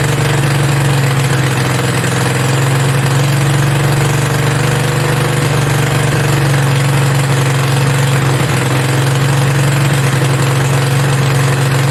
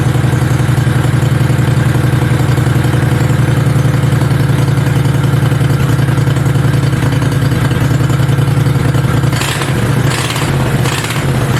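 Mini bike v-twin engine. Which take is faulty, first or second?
first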